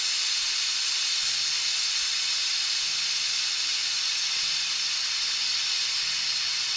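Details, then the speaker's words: Autoclave after a tattoo-grip sterilization cycle, at about 26 minutes with power cut: the deflate valve is pulled. A very loud, steady, high-pitched steam hiss with no sputter or pulsing, which is a normal pressure release. "So it's still releasing its pressure, and we're still at about 26 minutes, give or take. So we are in the recommended field. And as you can see, that was very, very loud."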